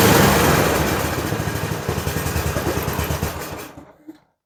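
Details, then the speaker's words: Toro Power Max 826 LE snow blower, after replacing the carburetor with an adjustable one over full-throttle surging: first start, single-cylinder engine fires, revs, then chugs down to a stop; not yet warmed or tuned. "All right, she runs again. Take it outside, let it run for a little bit, let it warm up, and then we'll start turning on it."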